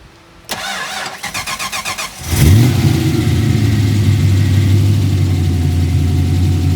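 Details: 1990 Ford Mustang 5.0 Fox Body drag car, started around an injector change: about ten even cranking beats, then it catches with a rev flare and settles to a steady, lumpy idle with no belt squeal. A normal start.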